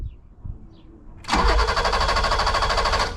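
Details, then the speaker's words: 1986 BMW 325e E30 sedan cranking with fuel pump audible: steady starter cranking, never catches; crank no start, no fuel to injectors. "But so here's a car cranking. I can hear the pump. So, cranks, no start."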